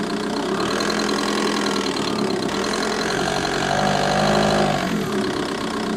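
At idle, a fast light tick, roughly four per second, rides over the diesel clatter and keeps pace with the engine; source undetermined.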